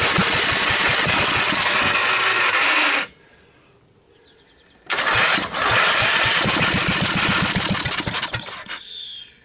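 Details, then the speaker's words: Briggs & Stratton 12.5 hp L-head engine, years on a shelf with mice corrosion damage, choke on, set to idle, on starting fluid; long rattly cranking bursts fire then die, cranks and kicks again before fading, won't stay running. "I'm just going to hit it with a little starting fluid. The choke is on. The engine is set to idle."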